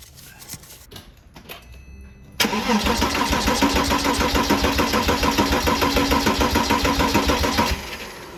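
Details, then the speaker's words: Porsche Boxster 987 compression test, plugs out, wide open throttle for 5–10 seconds: even, steady cranking at about 3.5 beats a second with a regular rhythm; readings around 270 psi, all within 10%, good compression. "All of my numbers were right around 270, which was awesome, which means that this motor has good compression."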